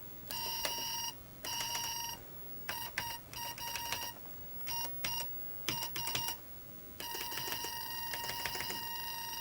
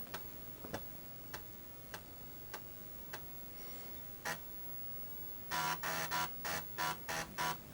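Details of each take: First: Early-1990s Microbyte HC120 XT-clone computer booting after minor repairs, with a noisy hard drive: repeated bursts of a high, steady beep at irregular lengths, the keyboard buffer alarm from a stuck key. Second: Early-1990s Microbyte HC120 XT-clone computer booting from a boot disk after repairs: regular light ticks about every half second, then loud rapid buzzing seeks from its very noisy hard drive; normal hard drive seek noise.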